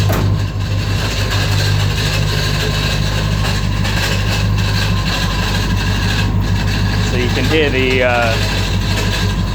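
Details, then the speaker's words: 1969 Mustang Fastback before restoration; steady low idle rumble with a brief rising whirr and chatter like the starter slipping and re-engaging; starter unhappy, engine otherwise runs okay with no knocks or taps. "starter motor trying to, I don't know, disengage, re-engage. There we go. So the starter motor's not happy, but aside from that, you know, she seems to run okay."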